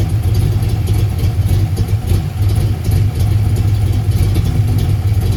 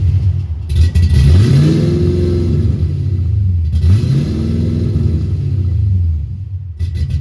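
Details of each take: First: 1990 Ford Mustang LX notchback 5.0 with F-cam, 30lb injectors, no O2 sensors, idle adjusted, plugs not checked; deep, fairly steady V8 idle with slight unevenness, much better than at first start, though finicky when cold. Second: 1990 Ford Mustang LX 5.0 V8 (GT-40P heads, 30 lb injectors) that would not start; bad EEC power relay swapped: it fires up lumpy and stumbling as it revs, like four or five cylinders. Owner suspects heavy fuel glugging; several MAFs and computers tried, possibly a harness fault.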